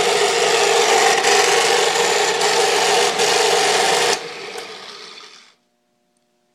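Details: South Bend drill press just after replacing spindle and pulley bearings (pressed in with arbor press): loud steady rasping roar from spindle running with quill lowered, fading as it winds down; major bearing noise, cause unknown.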